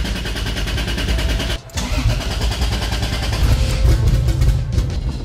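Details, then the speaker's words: Toyota Supra 2JZ with budget eBay turbo kit (NA-T build), distributor previously causing ECU communication issues: engine catches after a brief dip, settles into a steady deep rumble with even pulses, no knocks; sounds healthy, normal start and idle. "actually sounds healthy it sounds good"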